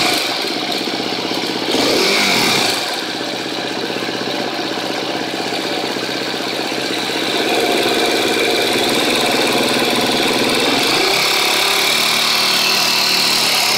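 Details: 2013 KTM 250 EXC-F Six Days idling: light fast metallic ticking, about four a second, staying even over the idle from the engine; owner suspects a bad cam tensioner, unconfirmed.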